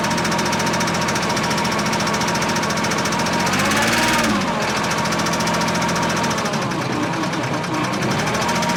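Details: Case 1835C skid loader diesel with broken piston rings, started on 24 volts: loud uneven clatter with a loose irregular knock and sagging beat at idle; rough knocking idle, owner hopes running it will let rings heal.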